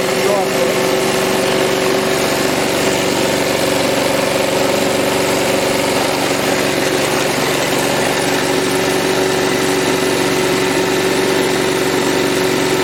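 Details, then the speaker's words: Old lawn mower being assessed for overhaul, first run: steady small-engine idle with a thin constant whine; noise from the top of the firewall area, sounding like something tightening, source unconfirmed. "um the only thing is a bit of a noise coming from the the top of the firewall there so it sounds like something he's tightening up"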